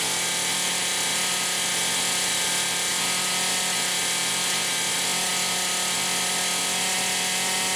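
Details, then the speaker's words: Poulan Pro 525 chainsaw (essentially a Pioneer P52), carburetor gaskets repaired: steady high two-stroke scream with a slight stutter at a ceiling just shy of 11,000 rpm; engine cutting out at high rpm, owner suspects electronic governor or coil rev limiter. "but I can get it to just shy of 11,000 RPM, and that's where it starts cutting out. So I actually think there's an electronic governor on here, but I can't figure out why the hell she won't idle."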